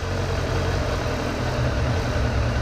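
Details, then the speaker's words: 2002 Suzuki GSF600 Bandit four-carb inline four at idle during synchronization with vacuum gauges: center sync screw deliberately thrown far out, giving a low lumpy loping idle instead of smooth hum; carburetors out of sync. "here's what I'll do I'll throw way out of whack so you can hear it"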